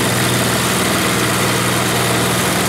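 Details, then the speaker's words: Snowblower after repair work, before return to its owner: loud, steady small-engine drone holding constant speed with no stumbles or surging; it runs healthy. "and check this F out here again sounds like it's still going so that's a good thing"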